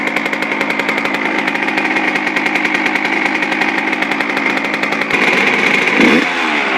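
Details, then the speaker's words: Suzuki RM125 two-stroke, first start after complete engine rebuild with new crank seals, carb air screw at factory 1.5 turns out, idle slightly high: crisp, even buzz with a clean rev; running healthy. "i'm pretty stoked i mean this i haven't got this thing running good in a really long time"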